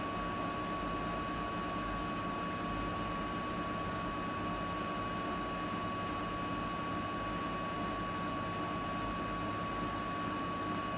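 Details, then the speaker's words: Siemens iQ300 8 kg 1000 rpm washing machine spinning at about 1000 rpm; steady even whir and constant hum, no knocking or scraping, no fault; normal spin cycle. "şu an ortalama 1000 devirde sıkma yapıyor arkadaşlar. Bu makinede hiçbir şekilde herhangi bir sorun veya arıza yok."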